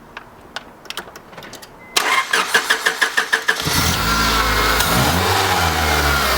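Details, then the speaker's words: Honda Civic crank no start: quick cranking, then engine fires and revs hard on gasoline poured into the intake, dying when feeding stops; no fuel delivery, blamed on the fuel pump. "see how it died out as soon as I stopped giving it gas yeah so it's definitely the fuel pump nothing's getting gasoline to the car"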